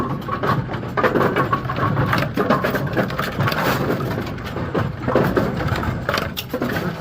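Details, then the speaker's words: Brunswick GSX pinsetter running after a urethane belt weld repair: busy mechanical clatter with regular thumps and rattles from belts and pins, no squeal or grinding; repaired belt working, normal operation. "Um, loud noise warning. I don't know. They're GS machines. They shouldn't be that loud. Right. So, that is our repair belt."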